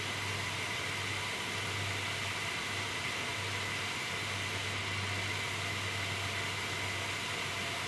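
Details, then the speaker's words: MSI R7950 Twin Frozr overclocked to 1100 MHz core, 1500 MHz memory, 74–75°C, heard close up: loud, steady airy rush with faint high tone, too loud. "75 is good, that's fine, but the problem is it's gotten to the point now where I personally wouldn't want to use it like this, mainly because of the noise."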